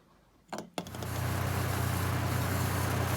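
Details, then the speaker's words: 2003 Chevy Trailblazer, 195,000 miles, needing a transmission, just started after crankcase and fuel-system cleaner; loud, catches and settles into steady idle with rhythmic pulse near four per second and a weird front noise, owner suspects fan clutch, unconfirmed. "So right now it's running. Sorry, it's kind of loud. I got kind of a weird noise coming from the front. Maybe it's that fan clutch."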